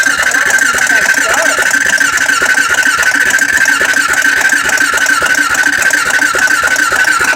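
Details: Honda 400EX ATV cranked with throttle partly held: steady rapid starter chatter, about three to four beats per second, never catching or speeding up; cranks but won't start.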